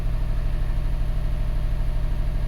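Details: 2012 Subaru Forester SH, EJ255 turbo, flashing check engine light after blown oil hose: low lumpy idle heard at the exhaust with an uneven chuff every few beats; single-cylinder misfire.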